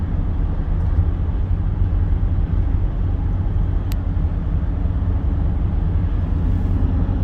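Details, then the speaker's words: Car on Toyo tires, noisy since owned, driving around 45 mph on highway: loud constant low roar with no rhythmic wobble; tire road noise, cause suspected, not confirmed. "really noisy these tires are just incredibly noisy they've kind of been like that since I've had them"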